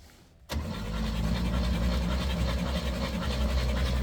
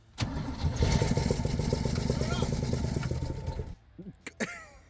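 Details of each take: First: Rare Chevy G10 van engine, sitting about 25–29 years in dirt, with cylinder one reported at zero compression and four and five dead, cranks with strong, even low churning about four beats a second, no catches or clunks; turns over freely. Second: Rare Chevy G10 van's six-cylinder, sat about 25–29 years with dead cylinders noted, fresh plugs fitted: cranks briefly, catches and runs rough with loud exhaust chuff and an odd exhaust leak for about three seconds, sucking nest debris into the intake at first start.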